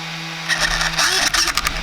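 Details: Traxxas X-Maxx after ESC fault was fixed, bench test with green ESC light and no fault lights: short servo buzz bursts and quick rising motor whir over steady electronic hum; steering and drive respond normally.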